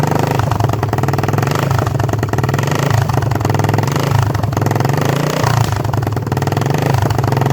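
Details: 1976 Honda XL250 (8000 km) on first start after a 3-month restoration: the single cylinder thumps along at a steady, even idle with no knocks or misses, a healthy engine.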